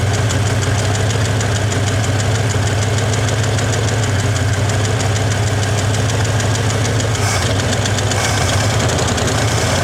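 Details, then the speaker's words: 1961 Chevy Apache with a rough, lumpy idle and a faint knocking texture, timing just set to about 12°, not yet warm; owner thinks it's running out of gas, as no real fuel is pulled through the fuel filter. Cause unconfirmed. "I need to let it run longer to run the temperature up, but I think I'm running out of gas. There's no real gas getting sucked into that fuel filter."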